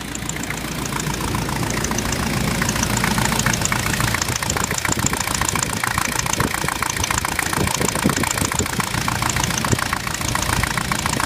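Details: Jeep with VM Motori 2.5 TD diesel idling: busy, fairly regular knocking tick over the diesel clatter, about three or four a second; engine knock, source unclear.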